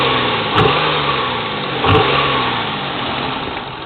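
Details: 1996 Nissan Maxima GXE, codes P1320 and P0305 plus knock sensor code, misfire persisting after all ignition coils and NGK plugs replaced: two quick revs from an uneven idle below 1000 rpm with a rough, stumbling beat; misfire, cause unclear.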